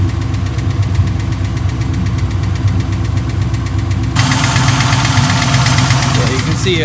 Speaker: It also looks like there's a lifter tap.